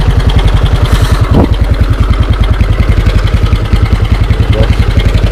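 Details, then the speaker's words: Used scooter being inspected for purchase: even single-cylinder idle thump with a faint extra rattle; CVT somewhat noisy, front pulley's three rubbers suspected loose, cause unconfirmed; engine otherwise sounds good and quiet. "Kalau mesin mah, kalau suara mesin sama suara CVT pasti beda. Ini mas dari ini CVT-nya agak berisik dikit, Berisik."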